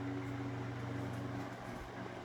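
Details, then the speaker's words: Mid-late 1950s GE Standard 12" oscillating desk fan F14S125, two-speed, on low with the oscillator engaged: steady low motor hum with an even drone and no rattles or scraping; runs smoothly with a fast oscillation. "And now we'll start it up on low. I do like the fast oscillation arc speed that these have."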